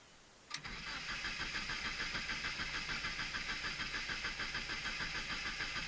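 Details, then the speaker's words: Car that sat with only a couple of gallons in the tank, cranking after fresh fuel, a new fuel filter, new spark plugs, a good battery and a working fuel pump: steady rhythmic cranking, about three beats a second, that never catches. Crank no start, faulty fuel injectors. "that would be the injectors"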